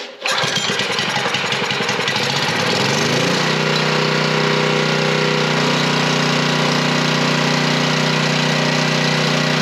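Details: Coleman Powermate 3250 W generator after carburetor cleaning and a plastic-welded cracked fuel inlet, started on choke. It catches within a second, runs rough on choke, then settles into a steady, even drone with no misses. Normal running.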